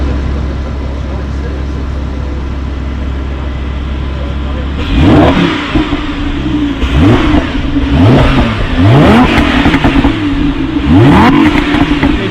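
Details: Lamborghini Huracán LP610 V10 free-revving: smooth idle, then four or five sharp blips rising and falling cleanly with no hesitation; normal healthy free-rev.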